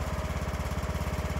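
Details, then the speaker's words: Craftsman riding mower single-cylinder engine after repairing a loose valve seat, replacing a broken valve and adjusting the carb, idle set by ear to about 1100–1200 rpm: even, steady thumping without misses or hunting, with a slight burble. "so here you can kind of hear that it is running steady but it's got a little burble to it"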